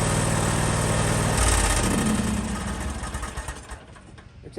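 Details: John Deere X320 riding mower after ignition switch replacement (part HDK445) for a no-start: the small engine catches at once and runs with an even beat, then drops away; it starts and runs normally after the repair.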